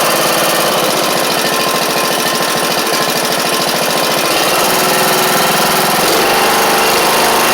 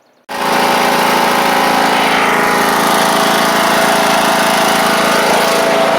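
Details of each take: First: John Deere E100 Briggs and Stratton engine after sump work: harsh, clattery single-cylinder run with a hard regular pulse about three times a second under a loud rasp; the connecting rod broke not long after. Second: John Deere E100 lawn tractor after engine swap (original 2018 Briggs & Stratton failed): catches sharply and settles into a smooth, even, high-pitched run with no knocks or surging; healthy.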